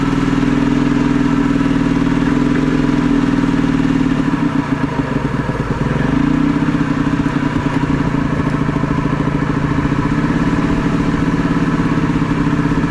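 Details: Previously seized Ski-Doo Mach 1 700 triple two-stroke, started in freezing weather once fuel began spraying: a ragged, uneven rattle that sags and surges and won't settle to an idle. Owner suspects the idle/throttle adjustment; not confirmed.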